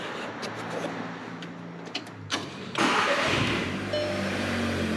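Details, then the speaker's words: Cold start of a 2012 MK6 VW Golf R being rebuilt after a wreck: the starter whirs briefly, then the engine catches cleanly, flares up and settles into a steady, even fast cold idle. It sounds healthy. "like this car sounds so nice i can't wait to hear it like really warmed up really out right"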